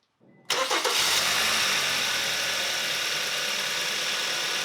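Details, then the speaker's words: 2015 Kia Optima LX 2.4L GDI engine starting after new Autolite XP iridium spark plugs; crank catches quickly, flares briefly, then settles into a smooth, even idle, much better than before. "as you can hear guys the engine sounds amazing it sounds way better than it did before um it's extremely better at idle"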